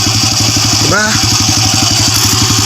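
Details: Honda Wave 100 after fixing a knocking engine (very loose timing chain, stiffer tensioner spring fitted, magneto-area fault cleared): even, steady single-cylinder idle and rev with no clatter or knock; healthy and tight.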